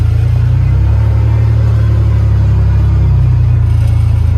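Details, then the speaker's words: Project 1951 Ford truck body on a 2001 Ford Ranger chassis and drivetrain: a steady, even low idle rumble with no knocks or misses, running pretty well. "Yeah. It runs pretty good."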